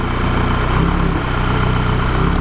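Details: Mk5 VW Jetta Wolfsburg 2.0T TSI with hybrid K04 turbo, about 1000 km after an engine rebuild following a 3rd-to-2nd mis-shift, idling warm at 194°F before a compression test: smooth, even low hum, steady beat, no knocks, ticks or misses; normal idle.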